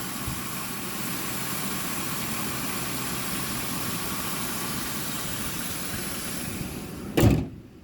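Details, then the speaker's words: 2004 Ford Crown Victoria LX Sport V8, warmed up: a smooth, even idle with a low, steady rumble and no misses or ticks. A door thuds at the end. Running normally. "It starts, runs, and drives beautifully. And I love about these older cars. You just can't beat that sound."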